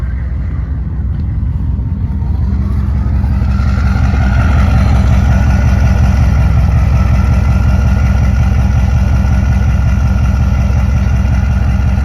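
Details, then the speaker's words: 1995 Chevy K1500 6.5 turbo diesel, just made roadworthy, at idle after start: deep, steady, even rumble with a faint turbo whine; all gauges working, starts right up, sounds healthy. "All the gauges working. Starts right up. Sounds really good."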